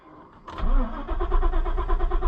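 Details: Ford Super Duty truck after replacing the fuel pump control module: starter turns the engine over in a steady churning rhythm but it never fires; fuel pump not heard, owner suspects the fuel pump has failed too.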